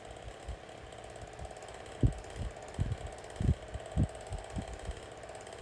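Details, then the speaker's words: SMC 6-inch desk fan on high speed, owner unsure if blades are loose; steady airy whir with mid hum and uneven low thumps; noisy fan but strong airflow, cause unclear. "definitely a noisy fan but it moves put very good amount of air"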